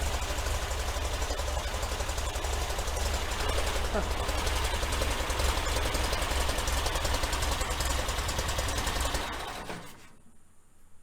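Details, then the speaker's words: 1966 VW Type 3 Fastback, battery still low: loud sluggish chugging crank around three or four strokes a second then cutting out; weak battery, with starter sounding sketchy and worn flywheel teeth suspected. "Well, the battery's still pretty dead, so it's having a hard time turning the car over."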